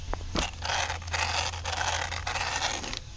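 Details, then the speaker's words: Arrma Kraton RC truck on 4S with a front drivetrain fault: bursts of dry scraping and rattling come and go as the throttle is blipped. Owner suspects the input shaft or front diff output. Later confirmed: the front diff output grub screw had backed out and was slipping on the input shaft. "so I'm wondering if the input shaft maybe uh came loose or something and that it's just spinning uh or the output at the front diff"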